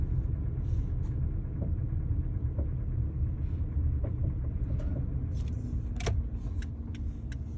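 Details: 2012 Kia Forte driving at 5-15 mph: low road rumble with a few light, irregular clunks; owner doesn't know where the noise comes from.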